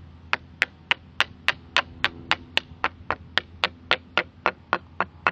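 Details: Hammer taps on cement foundation parging beside a crack, about three a second, each ringing crisp and tight with no dull hollow thud; this section of parging is solid and well bonded.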